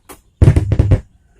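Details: Power amplifier, left-channel PCB, hum getting louder: a loud, deep low hum pulses from the speaker for about half a second. Suspected small driver transistors in the final stage; checking the final transistors first.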